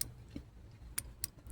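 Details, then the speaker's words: Honda Accord that died and wouldn't start: relay bench-tested with 12 volts applied to the coil gives a few sharp, distinct clicks, so this relay switches normally, unlike another that stayed silent. "Do you guys hear that click? This one is clicking, so this fuse I mean this relay should be fine."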